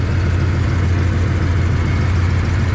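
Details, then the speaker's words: 1994 Dodge Dakota SLT V8 idling after a new oil pump and pickup tube, heard in the engine bay: deep, smooth, even rumble with no ticking or knocking. The engine sounds healthy. "And this thing sounds really good."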